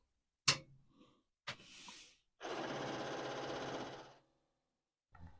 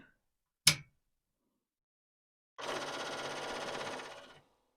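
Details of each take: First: Commodore 4040 dual 5¼-inch IEEE floppy disk drive, first power-on: sharp click, short buzz, steady rattle of head stepping, then a final click; normal power-on seek, whether it works is unknown. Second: Commodore 4040 dual 5¼-inch IEEE floppy drive at power-up: sharp single bang then busy rattling chatter for about two seconds as heads bang against stops, a good sign; drive zero appears not to spin.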